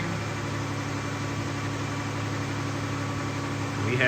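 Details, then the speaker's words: 2015 Dodge Grand Caravan 3.6 V6 petrol with P0303 misfire and P219A codes, restarted after swapping cylinder 1 and 3 coils: steady, even idle sounding smoother with no skips. "right off the bat personally feel that it sounds smoother here's to be running better"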